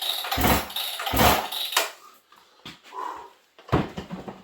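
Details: In about -40 cold in an unheated shop, a decompression-equipped saw (owner's 94) fires within a few pulls, revs in short bursts and settles; it starts easily, as it should.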